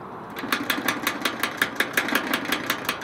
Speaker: it's rattling like i barely touch up here and it rattles